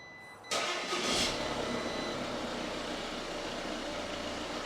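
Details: 2019 Audi Q5 diesel, crash-damaged salvage car with a seized engine, restarted after repair: quick crank, fires at once with a brief flare, then a smooth steady idle with no knocks; normal.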